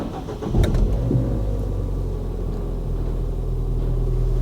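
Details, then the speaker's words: Ford Fiesta ST first start after keys were coded back in, oil and water checked, previously listed as a non-runner: quick crank, catches cleanly into a low, even, quiet idle with no knocks or ticks; normal cold start. "oh hey that sounds really good really quiet hey she's a runner let's see okay um yes she runs guys"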